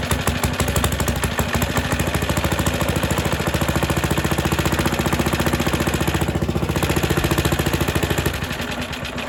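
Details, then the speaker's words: Suffolk Super Punch 17-inch lawnmower, next day after cooling, cold on choke: chugs steadily near 210 beats per minute, then fades and dies; spark okay, owner expects carburetor cleaning is needed. "so that's what happened yesterday try it one more time then I'm gonna quit again and I think it's going to be a matter of cleaning it up"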